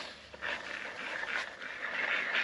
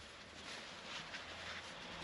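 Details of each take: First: Bosch Gen 2 e-bike motor spun freely by hand: a gritty, rough, high-pitched whirring from worn bearings; the felt seal can draw water into the motor; noisy motor needing bearing replacement. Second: Bosch Gen 2 e-bike motor, felt seal removed and bearings greased: soft, even whirring hiss with no grinding, clicks or rumble, a quiet healthy motor compared with a noisy one.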